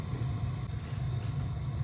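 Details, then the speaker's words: Gas water heater main burner lit after switching from pilot to on: a steady, even low roar of the large gas flame burning normally. "so when you bring it to the on position this way then you have then you hear the big sound that means the fire becomes big there which looks like this"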